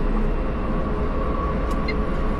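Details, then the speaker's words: VinFast VF3 with upgraded suspension at higher speed on a toll road: smooth, even tyre and road roar with no knocks or rattles over bumps and joints, where it previously rattled; the suspension sounds tight. "Jauh berkurang enggak? Enggak ada gedek gedek gedek gitu. Enggak ada lagi."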